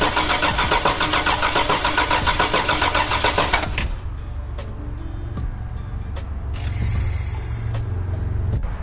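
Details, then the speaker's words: Toyota 4Runner (Ruby) first start attempt after rebuild: it cranks evenly at about 3.5 turns per second for nearly four seconds with only 9 volts on crank and never fires; crank-no-start, cause not confirmed. "All right, so it's turning over. It has 9 volts on crank, and it's not firing."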